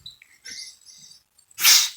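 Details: 1920 Studebaker Special 6 turned over by hand during ignition timing: short, sharp hiss of air as cylinder one comes up on compression, just past the advance spark mark on the flywheel; normal compression puff.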